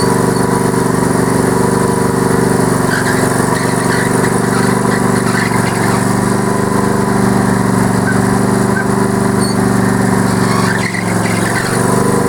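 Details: Yard Man tractor, 20 HP Briggs Intek V-twin, running on a booster pack with no battery, mower deck engaged: steady, even low drone, smooth firing beat, no knocks or misses; healthy.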